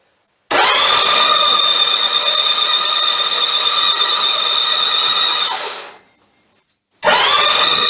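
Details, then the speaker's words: Norton Commando 850 MkIII (Norvil-built 2012, 900 miles, sat 10 years) with rocker covers off, upgraded starter: steady high-pitched starter whine cranking the engine evenly about five seconds, stopping, then again, to build oil pressure; cranking sounds healthy. "we're going to spin it over a few times see if we can get oil pressure see if we can get oil coming back to the tank here we go"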